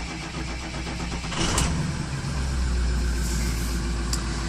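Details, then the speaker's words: 2006 Ford F-350 6.0L diesel, 174,000 km, first start of day at about 2°C: catches and settles into even steady diesel clatter, no misses or knocks — injectors judged good, healthy cold start. "Let's fire it up. Have good clatter, which tells me the injectors are good."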